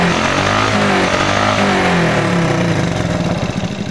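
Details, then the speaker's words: Smash 110 motorcycle single with a carburetor that misfires when a carburetor hole is left uncovered. With the hole covered it revs steadily at a fast even beat, no dropouts: running clean without misfire. "Maganda yung tunog guys. Maganda yung RPM nya, yung revolution. Walang palya."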